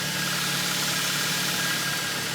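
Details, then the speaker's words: Kia Ceed 1.4 G4FA, 7 years old, 184,000 km, after rebuild for oil consumption and piston knock (bored 0.5 oversize); heard from outside at idle: even, steady with a smooth hiss, no knocks or ticks. Limit 3,000 rpm during break-in. "слушаем снаружи и заканчивая работает ровненько не крала куются ничего"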